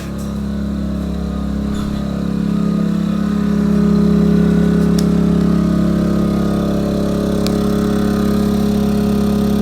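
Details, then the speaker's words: Yamaha EF2000is 2 kW inverter generator outdoors below zero in January, powering a house's lights: steady, even hum at raised speed, not wide open, no misses or knocks; running healthy under load. "it's not wide open it's definitely dry quite a bit but this is what we got running on the generator"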